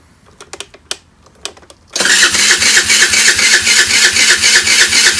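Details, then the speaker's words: 12-year-old Chinese scooter, about 430 miles, with spark, fuel and good compression, on a small new battery: quiet clicks, then steady rapid starter whirring about four beats a second, no catch; battery not putting out enough power. "It won't turn over now. It sounds about normal cranking, but it's not putting out enough power."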